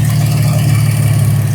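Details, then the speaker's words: Porsche 986 Boxster at idle after adding power steering fluid: smooth, even hum with no pump whine over it. The earlier whine and noise came entirely from the power steering pump, which now sounds completely normal. "And also, I don't hear the ee that it does. It was all the pump. It sounds completely normal,"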